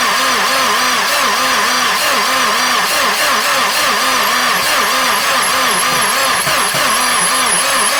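A low warbling whir pulses about three to four times a second over the running engine; the source is unconfirmed, possibly the water pump.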